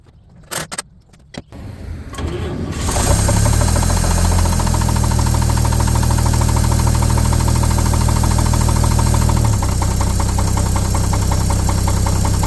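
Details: 1950 Chevrolet 3800 one-ton, parked since 1977; owner suspects shims removed and rods filed or ground by a previous owner: cranks, fires, runs with deep knock three to four per second; rod knock.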